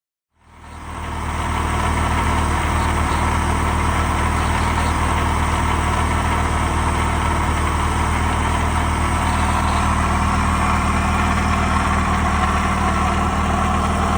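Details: 1969 Saab Sonett with a 1.7L Ford V4 swapped in for the original 1.5L, Holley 1940 carburetor: an intermittent, light, uneven metallic rattle at idle. The owner suspects the throw-out bearing or the freewheeling mechanism, whose linkage is disconnected. Unconfirmed.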